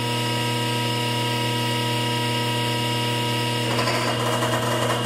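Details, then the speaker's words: Parker hydraulics trainer: steady pump hum and whine turns rough and crackly as an air-bleed flow control valve lets air into the pump suction, simulating aeration, which is a rumbling sound distinct from cavitation. "a little different that of rambling sound but that's called aviation"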